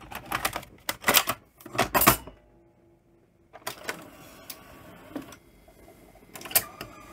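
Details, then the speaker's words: Philips N1700 VCR Long Play video recorder, pretty mucky inside, running a second cassette: uneven mechanical clunks, then the transport goes quiet and restarts, repeatedly stopping partway; suspected servo problem, and the heads show no picture. "oh it keeps wanting to stop it's sounds like there a Servo problem"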